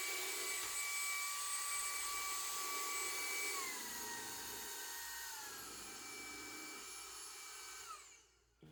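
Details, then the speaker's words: Hoover ONEPWR Evolve Pet Elite 2 cordless vacuum on a rug: the high whine sags in two steps, then cuts out, as the brush-roll fins catch longer fibers. The brush roll stalls, and a replacement unit did the same. "the catches inside of the brush roll, it just stops."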